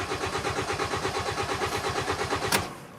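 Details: 2010 Hyundai Sonata 2.4 with intermittent no start and no trouble codes: steady rhythmic cranking about three pulses a second, tachometer moving, never catches, fades out; crank-no-start, fuel smell noted, fuel and ignition still being tested.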